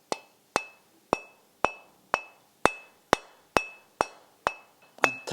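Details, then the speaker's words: 250 mm variable-speed bench grinder stone, removed and unplugged, tapped lightly with wood eleven times; each tap rings clear and bell-like, so the wheel is solid, uncracked and passes the ring test. "all around and this sounds solid this sounds like a solid stone so this stone is good and ready to be used"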